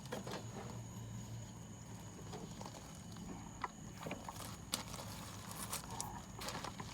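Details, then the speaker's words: Small mini dorm refrigerator after repair, plugged back in: steady low compressor hum running normally, with a few light taps and clicks. "and that's it compressor is running it doesn't take long to get cold guys"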